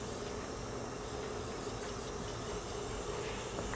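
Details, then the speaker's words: 1967 VW engine leak-down test, cylinder four: a steady airy hiss change shows air leaking between cylinder head and cylinder. The plan is to reseat the head, else try other used pistons and cylinders. "hear that change in the his it means it's leaking between these"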